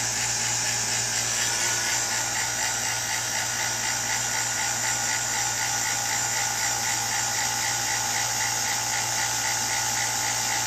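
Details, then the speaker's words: New two-stage 3.9 CFM mid-grade non-name-brand vacuum pump: louder at first, then settles into an even, steady high-pitched hum with no knocking or surging, much quieter than the single-stage; normal running. "as you can tell there's there's quite a difference in the the uh the amount of noise this one is it's a little louder at first and then it uh as the second vacuum kicks in I believe that's how it works"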